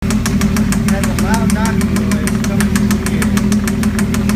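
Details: Freshly swapped 2.5L V6 in a Mazda MX-6 / Ford Probe idles with sharp, even tapping about seven a second, a knock from inside the engine, cause not yet found.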